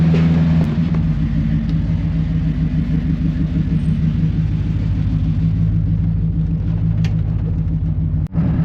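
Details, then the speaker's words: 1991 GMC Suburban R1500, 5.7L (350) TBI, test drive at light cruise after a new IAC valve and relearn for near-stalling at stoplights; smooth, steady rumble with no surging or stumble; IAC reads 46 counts, under 50 and acceptable while cruising. "Okay, well, so far it seems fine."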